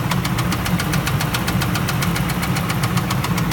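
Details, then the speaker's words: Ford Expedition petrol V8 with a spun rod bearing, shaking at idle with that cylinder's coil and injector unplugged and the check engine light on: a deep, steady knock about seven or eight a second. This is rod knock, and the engine needs replacing. "this is what it sounds like if your car is doing this you have to replace the engine you need an engine"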